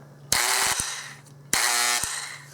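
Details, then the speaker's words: Dremel SM20 SawMax compact worm drive saw, burned-up unit: two short harsh bursts over a steady low hum as the motor buzzes instead of running, sounding like shorted armature windings; possibly overheated with vents blocked; not worth fixing. "it just buzzes there's obviously that sound sounds like there is some shorted windings in the armature and so it's just hitting those points and just buzzing"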